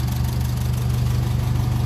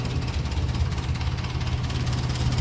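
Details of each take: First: 1957 Ferguson 35 TVO tractor, warm after about 10 minutes running, idling just below 800 rpm, temperature up, oil pressure and charging light good: deep, steady low thrum, no knocks or misses; normal warm idle. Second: 1957 Ferguson 35 TVO tractor, warm, low idle after needle valve work: slow, deep, slightly uneven idle around two firings a second with occasional spits; running lean, mixture to be richened.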